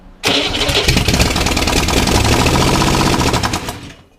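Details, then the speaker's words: 1961 Corvair air-cooled engine on a bench, sat 20 years, partly refurbished: catches and runs a few seconds with an uneven stumbling beat, then dies; timing believed off, fuel not drawn from the line, one carburetor leaking fuel into the engine; fuel pump suspected. "timing's out for sure i'm gonna leave that in no it's not pulling from the uh your carburetor on this side is leaking"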